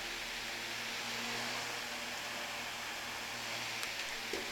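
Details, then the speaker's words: Fan powered through an APC Smart UPS 1500 on 60 Hz sine-wave mains: smooth steady airy hiss with faint even hum, no wobble or rattle; fan runs normally. "so this fan is plugged into the UPS if I turn it on it'll be running off of a 60 Hertz sine wave from the power company and I'm hoping that you can hear the fan run"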